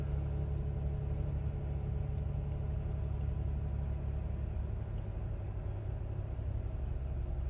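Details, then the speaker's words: Warm-up idle of a 2018 Jeep Wrangler JL, 37,000 miles: smooth, steady low rumble with no metallic grinding, idle dropping as it warms. It serves as the comparison for a supercharged 3.6L 2020 Gladiator that grinds. Normal idle, no grinding. "once i put the videos together you will be able to see that the white gladiator has metal grinding noise and this does not"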